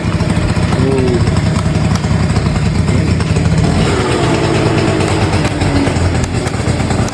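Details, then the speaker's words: 38-year-old Honda Vision (Elite) two-stroke scooter after full restoration, choke bypassed and carb adjusted; starts on one kick, steady buzzy putter with even rhythm, no stumbling or knocking. "and this is how she runs boop boop boop one kick"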